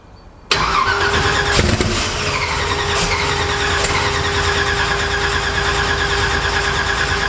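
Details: Twin-turbo Cortina, first start after multi-point fuel injection install, after flooding: starter churns steadily without catching; fuel pressure dropped, one plug dry one wet, ECU settings suspected.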